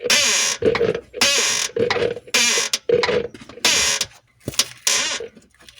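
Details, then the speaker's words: Rear suspension noise on an Alfa Romeo, heard after driving to warm the components: harsh binding creak-groan repeating about once a second with each push. Rear sway bar drop link ball joints suspected, not confirmed. "Okay, now it's here. Almost like a binding sound. Normally that is the ball joints."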